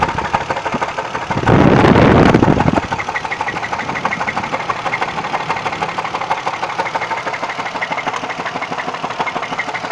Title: Engine knock what is it?